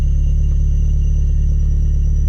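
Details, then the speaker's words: Toyota MR2 SW20 after fresh fluids and coolant bleed: steady deep exhaust drone held high with no dip or hunt, unlike its usual sound; high idle. "The noise coming out of the exhaust. It doesn't make that noise."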